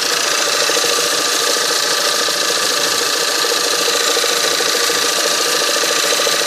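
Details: 1.8 TSI engine on a cold start. A fast, even metallic ticking knock, about three and a half a second, rides over the cold idle; the origin of the knock is unknown.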